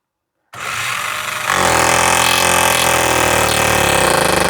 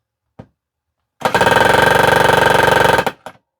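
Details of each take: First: Small magnetic nail-driving hammer tool running against a nail into pine: fast harsh jackhammer-like rattle of rapid oscillating blows, steady, but barely drives the nail; normal percussive hammering. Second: Small magnetic mini-jackhammer style nailer with light, on a heavy galvanized nail into painted pine: fast even hammering about four blows a second, loud and sharp, but nail not driven in.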